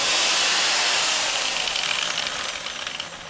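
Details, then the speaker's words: Ryobi line trimmer after reassembly; owner suspects the small head gearbox, which earlier was noisy like a bad bearing and then lost power: a high whirring spin that sags and fades under cutting load. Loss of cutting speed under load. "you can see less engine noise and no speed when you cut through butter or milk"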